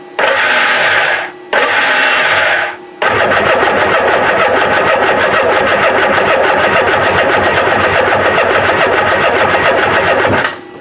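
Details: Kawasaki ZXI 1100 jet ski, no spark, stator previously found bad, cranked while reading about 2.3 V AC on the yellow/black charging coil: two short starter bursts, then a long crank with no firing. No-start; cause unconfirmed.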